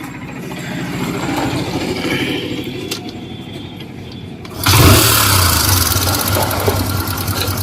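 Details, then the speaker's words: Hero Super Splendor BS4 motorcycle with 23,808 km or more on the odometer: the engine starts and idles with a light, fast metallic ticking from loose tappets (valve clearance), plus a suspected timing chain noise. "देख सकते हैं कि जन से आवाज आ रही है कि इफेक्टिव जैसा आवाज जाता है"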